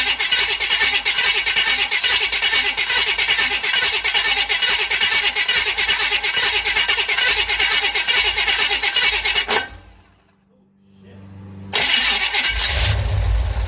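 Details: 1969 Impala V8, first start after installing a new flexplate and starter: a loud, fairly even beat with no knock or tick that briefly drops, then picks back up; running normally. A fuel leak was spotted afterwards.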